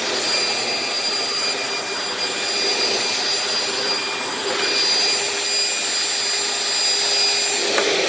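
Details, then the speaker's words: Dirt Devil Breeze vacuum: steady, high-pitched motor roar running free with no load or brush-roll thrum because the drive belt is broken; the brush roll or its bearings may also be bad. "Well, that belt is shot. Not a surprise with these. The belts on these go bad way too often."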